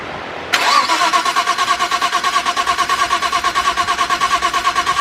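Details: Nissan RB32 engine swap with new wire harness and trigger kit, first start after timing synced with a timing light: engine catches and settles into a steady, thin pulsing beat about three times a second, firing up fine.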